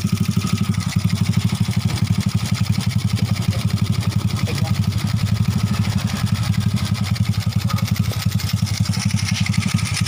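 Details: Honda Astrea Grand C-series engine after fitting adjustable manual cam chain tensioner replacing rubber rollers (experiment): steady, even single-cylinder putter with regular exhaust pulses, no top-end ticking or chain rattle; normal idle.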